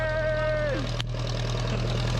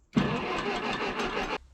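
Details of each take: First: 1956 Case 420B running after the bent crown washer under the distributor rotor was flattened, restoring spark; an even, low idle thrum with a steady firing beat and no misses or clatter, with a load change near the end. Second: About a second and a half of even starter cranking with no firing, then it stops, on a 1956 Case 420B backhoe with a low new battery; no spark, later traced to a damaged felt spacer and bent washer under the distributor rotor.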